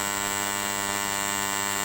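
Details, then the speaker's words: Hand-wound 5A double-CT 940 W box transformer, primary winding tested at 220 V for a few minutes: constant loud buzzing mains hum, steady, no crackle or arcing; vibrating loudly is normal, nothing to fear. "Kita hidupkan trafo. Trafo ini bergetar. Biarkan hidup dengan beberapa menit. Tidak perlu takut, tidak perlu khawatir. Ini bersuara dengan keras."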